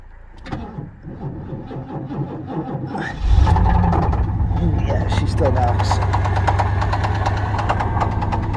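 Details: '88 Firebird project car, started after sitting: it cranks and catches, then settles into a steady idle with a regular knock about four times a second over the low rumble; internal knock.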